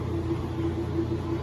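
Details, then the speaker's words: Kenmore 90 series washer that made a very loud noise when starting to spin, caused by a worn transmission bar. After repair the spin is smooth, fast and even, with a steady low hum and no knocking or grinding. "Escuchen, se nos quitó el ruido por completo, el ruido que tenía. Esta lavadora ya quedó al puro fregazo. Qué bonito spin tiene, súper rápida."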